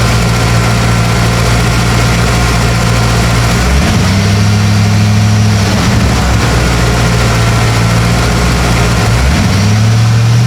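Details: 1995 Ford OBS F250, first fire-up with fresh antifreeze and the air inlet box off: a steady, even low rumble with a couple of smooth rev blips falling back cleanly; healthy idle with no knocks or misses.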